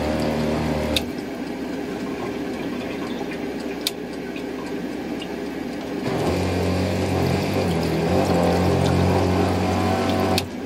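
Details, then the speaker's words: Truck sink pump: hum drops and surges in pitch and loudness as the connections are moved; badly corroded wiring and a poor plug connection give inconsistent amperage and intermittent running, even after soldering. "you hear how the the amplitude and the sound of the pump is changing it's not getting it's not getting a consistent amperage"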